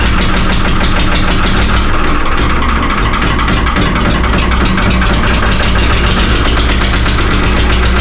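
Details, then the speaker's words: Flooded 3-cylinder Lister diesel in an ex-Rotterdam harbor boat, 8 liters of water pumped out, cold first start: loud, rough clatter at heavy throttle while stationary, revs wavering and hunting. Owner suspects air in the system. "So, my plan is now to let it warm up a little bit because it's not happy. That's for sure. I have to give it a lot of throttle to let it work somehow. So you can hear the RPM changing and we're standing here so it's searching."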